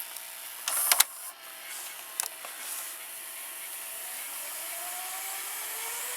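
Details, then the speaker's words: Early-1990s Toshiba M659 stereo VCR fast-forwarding: a few clicks, then a whir climbing steadily to good speed; runs smoothly, though rewind was slow, possibly from a worn part. "it's fast-forwarding into pretty good speed it's very fast for early nineties VCR like this the fast-forward"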